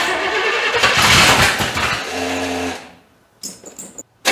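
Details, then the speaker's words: 1985 Chevy C30 after diesel-to-gas engine swap; catches with an uneven, lumpy burst, never settles and dies within seconds, wanting more timing; distributor found installed one tooth off. "Well, apparently I do have a distributor off a tooth. I do it every single time, sure do."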